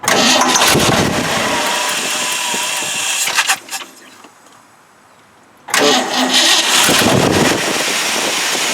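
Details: 1979 Ford F250 crank-no-start diagnosis, after confirming spark: brief crank catches into steady even run, pauses, then restarts cleanly and settles; now starts and runs normally.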